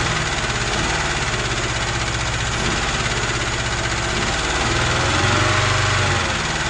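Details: UZAM 2.0-litre engine with twin Solex carburettors and a 78 camshaft, owner-built, first start with no tuning: lopes unevenly at idle, the beat wandering and surging slightly; the jets later turned out to be all different sizes, leaving the mixture uneven.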